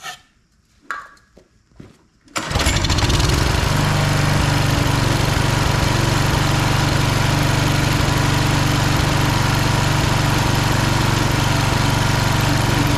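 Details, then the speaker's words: Husqvarna HU 625HWT four-stroke string trimmer that a coworker couldn't get running, turning over extremely hard at times: a few pull-cord rattles, then it catches and settles into a steady fast chatter with no misfire after a shot of starting fluid; hard starting. "Alright, while the oil's draining in my pan, when I engaged the string, it did not like it. Well, it turns over hard. Extremely hard."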